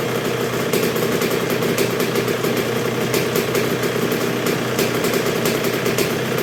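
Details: 1986 Honda CR125R two-stroke, not yet fully broken in after a new .060-over Wiseco piston top end: ticks over low and steady with crisp even firing, no misses or rattles; healthy normal low idle.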